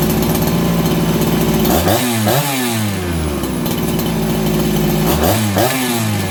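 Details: Farmertec 288XP kit chainsaw after ignition repair (sheared timing key, spun flywheel), low jet richened slightly, no choke: steady high idle with two crisp blips that settle back quickly. Healthy throttle response and idle.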